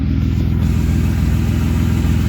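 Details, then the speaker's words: BMW E36 running after torn ICV intake boot hose repair, cats deleted with M3 catless midpipe, slightly smoky: deep, smooth, even engine note, no knocks, ticks or rattles; normal running. "no weird noises put the car on the ground and she's a runner a little bit more smoky because no chats"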